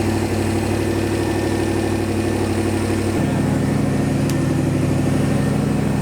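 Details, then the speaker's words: Boosted engine first start after 30 days of work, fuel pressure about 50 psi, earlier ticking suspected to be power steering pump: steady even idle with smooth low rumble settling slightly lower, no knocks; normal idle. "yes and it sounds good i was nervous there for a little bit because that ticking noise but it might have been the power steering pump"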